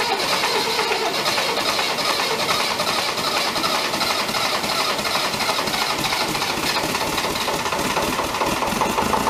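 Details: David Brown 1490 tractor diesel on first start after engine rebuild: steady, fast clatter over the idle. Engine knock; owner suspects fuel injection knock, and the injectors are being reconditioned.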